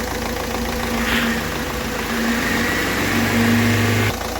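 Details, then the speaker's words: Ford Figo diesel after the injector fault was dealt with: an even, steady idle clatter with a brief rev blip, no knocking and no misfire. The engine runs healthy. "ठीक है कोई इसमें कड़कड़ नहीं कोई इसमें engine में missing नहीं एक साथ लेके चल रहा है"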